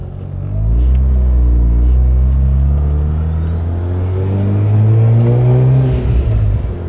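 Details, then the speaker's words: Turbo Mazda RX-8 with a new intercooler, while the secondary shutter valve's minimum fuel load settings are being changed: deep rotary drone under load with a rising turbo whistle and a ragged beat; runs smoother but misfires when the SSV opens. "It's definitely... Runs smoother, but it's misfiring now. Because of SSV."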